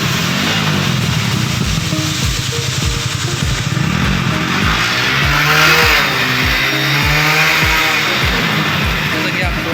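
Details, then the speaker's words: Hero Splendor Plus i3S single-cylinder motorcycle after first servicing and timing chain adjustment, self-started: steady idle with even low thumps and no timing-chain rattle; sounds much better than before, like a new bike. "आप सुन पा रहे हैं, गाड़ी का sound पहले से काफ़ी बेहद अच्छा होगा, जैसे नई गाड़ी का आता है।"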